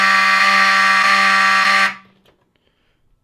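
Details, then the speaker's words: Vintage Wheelock 7002T horn strobe on demo board sounding after pull-station activation: loud, harsh, steady buzzing horn for about two seconds then cuts out; these horns are known to skip, though no skipping is heard here. "these things are loud and the only thing with audible silence is the advance strobe um because these are two wire devices"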